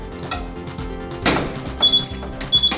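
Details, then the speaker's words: R-type combined fire alarm receiver panel, backup power supply deliberately disconnected as a test: repeated short high-pitched electronic beeps over room clatter, panel showing system fault and backup power fault; trouble alarm clears once reconnected. "소리가 나죠? 전체에 한 개 나와 있습니다. 시스템 고장, 예비 전원."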